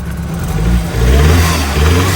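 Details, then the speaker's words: BMW F30 328i (N20/N26) with bad misfire, after fitting used fuel injectors to replace suspected aftermarket ones: idles decently, then revs sag and stumble, bogging; problem remains, cause not confirmed. "it's actually idling it's not like dying oh wait wait wait is it bogging it's starting to bog"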